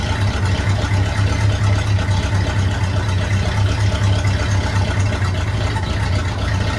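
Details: 1972 Chevy C10 small-block V8, warm engine, not a cold start, after valve covers were pulled: steady, even low idle with a soft regular pulse and no knocks or misses. Timing still needs fine-tuning.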